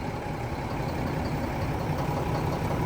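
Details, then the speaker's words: 1987 cabover diesel truck, started after repairs: deep, steady, even idle, no longer the roaring heard before. Normal idle. "Sounds a lot better too, don't it? Ain't got that roaring in it."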